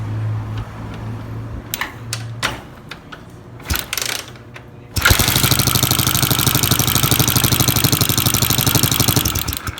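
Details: Honda CG 2008 motorcycle single: fast, steady metallic tapping about three per second, sharp and busy in the top end; valve train tick, oil confirmed reaching the head, owner suspects worn pushrods, to check with engine set to timing.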